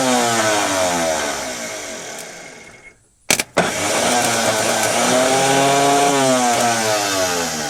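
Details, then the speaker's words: Scrapyard diesel forklift with a possibly low battery: starter whirs up and winds down freely without cranking the engine, then a brief clunk and another free spin after hammering; starter drive (Bendix) not engaging, starter possibly faulty. "tệ thật, nó chắc chắn chỉ đang quay nên có vẻ như trục không thoát ra và không ăn khớp"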